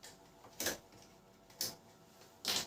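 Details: Canon LBP 6030 laser printer with sound problem while printing: three sharp dry clicks about a second apart from one side, suspected gear/feed drive fault; cause unconfirmed.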